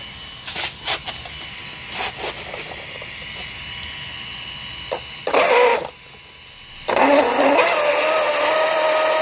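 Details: Losi DBXL-E V1 electric buggy with Castle 2028 motor and Max5 ESC, which lost power and then stopped moving: rough, gritty whirr with an edgy mid tone under throttle from bad motor bearings, first mistaken for a pinion issue.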